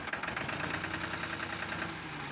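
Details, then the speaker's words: Tractor diesel with sound complaint, after loosening and retightening the injector line to bleed out dirt: lumpy, uneven idle with missing pulses, still unchanged, seemingly firing on two cylinders; diesel misfire, injector nozzle next checked. "आप अभी भी हमें इसके side में कुछ नजर नहीं आ रहा है इसका साउंड वैसा का वैसा ही है"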